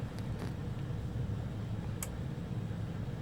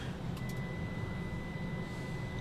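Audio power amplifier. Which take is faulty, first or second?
second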